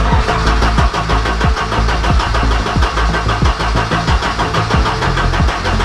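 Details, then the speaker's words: Abandoned Ford Sierra Sapphire RS Cosworth, not MOT'd since 2014, first start attempt with new fuel lines: steady even starter chug for several seconds, never catches; no fuel reaching engine because the fuel pump was wired backwards. "so as you can hear your fellas the car is just turning over turning over turning over it is not starting up so I'm starting to think there's something wrong"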